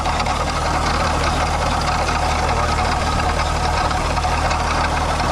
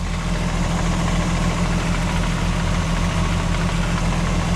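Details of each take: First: VW MK4 12v VR6 at idle before water pump replacement: constant gravelly rattle like marbles in a can over the engine; failed water pump bearing, gone after the new pump was fitted. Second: MK4 12v VR6 after water pump replacement, coolant being topped up: smooth, steady low idle hum with no rattles or marble-like clatter and no leaks seen; engine idles healthy.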